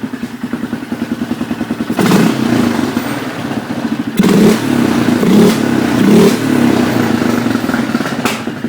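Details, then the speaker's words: Polaris Sportsman 500 after carburetor rejetting: single-cylinder idle then soft, burbly throttle blips; sounds slightly rich. "I wanted to have a brake light switch running a little bit Rich by the sounds of it better than"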